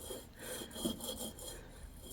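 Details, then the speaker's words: 2011–2017 Honda Odyssey original front wheel bearing, just over 100,000 miles, removed and turned by hand: dry gritty crunchy rasp, new bearing nearly silent; worn wheel bearing. "There's definitely something in there. Got a kind of crunchy sound. And this bearing looks like it's original, and it's got just a little over 100,000 miles on it."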